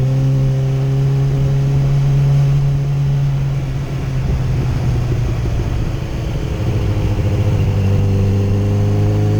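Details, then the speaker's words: 2008 Yamaha FZ1 riding on the road after ignition coil replacement: the engine pulls cleanly, note steady and unbroken as revs dip and climb. The earlier stutter and hesitation under 4000 rpm is gone. "swapped out the coil now she rides like a dream"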